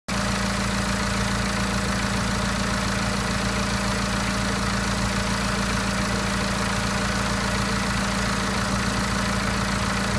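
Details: BMW N47 diesel, 10,000 km after timing chain and intake replacement: steady idle with a low, uneven knocking hum underneath; abnormal engine noise, cause suspected, not confirmed.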